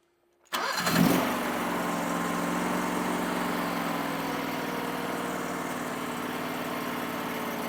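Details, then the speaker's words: Powerease R740D twin-cylinder engine on a Chinese CRT-23 mini skid steer with trencher, after fixing fuel problems; started on choke, catches almost at once and settles into steady, slow idle that previously popped and died. "So this thing has never idled that slow and that easy. It would never idle. It would just pop and shut off, and I don't know why low fuel causes it not to idle, but man, it just purrs right now. It idles so nice."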